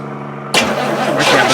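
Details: 1965 Oldsmobile Cutlass after sitting six years: brief cranking, then it settles into a quiet, even idle with no knocks or misses. It starts healthy.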